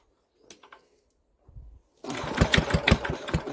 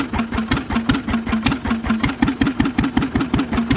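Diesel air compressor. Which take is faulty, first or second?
first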